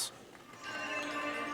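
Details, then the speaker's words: Yamaha CA-810 amplifier on auxiliary input, both channels connected: music sounds thin and tinny with almost no bass, like through a tin can or underwater. Output is distorted, cause not yet found; tone controls to be checked. "Oh, and it sounds like garbage. That sounds horrible. Sounds like it's going through a tin can."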